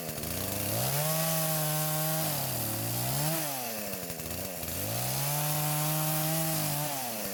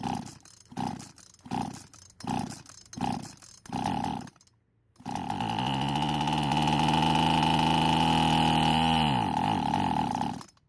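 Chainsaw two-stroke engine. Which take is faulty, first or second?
second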